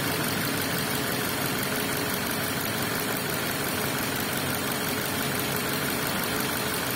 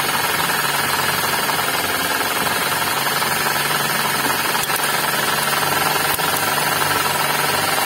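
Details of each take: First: Suzuki Ignis manual petrol engine at idle and revved after replacing the V-belt tensioner bearing and adjusting the fan belt; even steady hum, the earlier growl from the belt drive is gone. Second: Suzuki Ignis manual, running engine: rough gritty growl with fast rattle, indicating worn bearings among alternator, water pump and V-belt tensioner.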